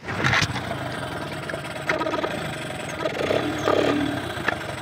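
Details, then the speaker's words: Two-stroke Mercury outboard after diagnosis and repair: raspy buzz with some clatter catches and keeps running evenly, sounding as it should. "okay lives [Applause] that's what it's supposed to sound like it's awesome"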